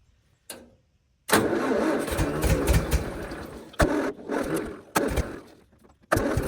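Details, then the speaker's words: Tractor engine back from repair: starts, then runs ragged with uneven spits, sputters and surging; ignition timing is off, distributor being turned to improve idle. "so as you can hear clearly the timing is off a bit it's spittering it is sping so I'm just going to turn that distributor a little bit so it wants to idle a little better"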